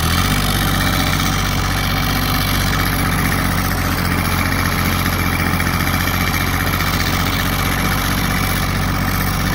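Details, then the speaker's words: Kubota GR2110 with an added RHB31 turbo, driven under load: a steady diesel thrum with a faint, high, even whistle as the turbo spools smoothly. Normal turbo spool. "You can hear the turbo spooling. It works pretty good."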